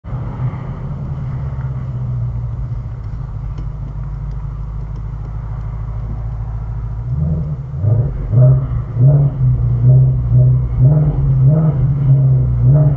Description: When the RPM gets between 2,000-3,000 you will hear a rattle noise. That isn't the exhaust or vibration of the engine/compartments, etc. That's like piston slap or something in the engine.